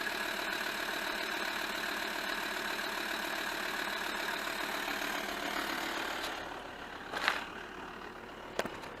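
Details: VW Touareg 2.5 R5 TDI, 174 bhp, 4Motion, manual, with 400,000 km, at cold start with smoke. The diesel idle is uneven with a wavering clatter from bad injectors, which have worsened over the last year and 100,000 km.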